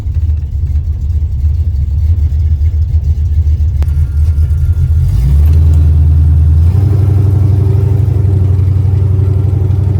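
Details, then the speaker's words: 1978 El Camino 383 V8 with TH400 under load: a deep rumble with a sharp, rapid puffing tick on the exhaust pulses from pinhole leaks at the header collector that need rewelding. "you can really hear those pin hole leaks at The Collector that's that noise you hear it's a pretty bad little exhaust leak I really need to get it rewelded"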